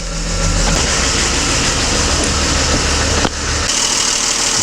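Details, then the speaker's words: BMW E39 with M52 engine at idle, hood open: loud busy metallic clatter of hydraulic lifters tapping, worse with throttle; lifters to be replaced, oil pressure also matters. "есть и какой звук очень сильно стучат гидрики попробую дать газу ужасно сильный звук вот так пора менять гидрокомпенсаторы"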